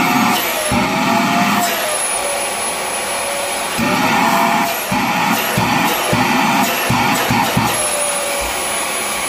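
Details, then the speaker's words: Rowenta Compact Power Cyclonic vacuum cleaner: steady high whistle over the motor roar, wavering as airflow shifts, then stops; judged not motor-related but an airflow problem. "şu anda ıslık sesi kesildi ya bu motorla ilgili değil motorla ilgili değil bence hava akışı ile ilgili bir soru düşünüyorum"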